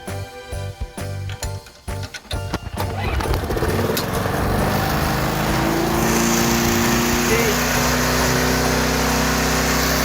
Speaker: That's revving way too high. It should be right there.